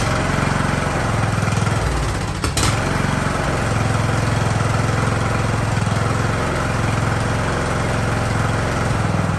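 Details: Free Ariens riding mower with hydro drive, sat at least 2 years, idling in about 30°F cold; small single-cylinder engine holds a steady, even idle with no surging or dying, running healthy after stalling when the clutch/parking brake was released.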